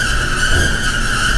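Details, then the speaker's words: Very loud continuous high-pitched squeal at one steady pitch over a low running rumble, coming from a dryer heard in a master bedroom wall; squeaking cause unknown. "her this was very loud this loud squeaking noise coming from the dryer"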